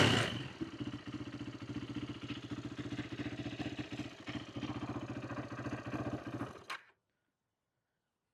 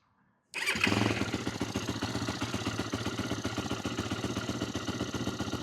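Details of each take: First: 2008 Yamaha YFZ450 single-cylinder quad after carb repair (needle and float height cleaned up, no fuel leak, fuel screw out about three turns): starts instantly, quick even thumping holds steady six seconds before shutoff, no misses or surging; normal idle, oil possibly low from leak. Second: 2008 Yamaha YFZ450, a pieced-together ATV with the idle turned up, possibly low on gas: it starts abruptly, then idles lumpy and wavering on its single cylinder while the carburetor leaks badly: rough idle.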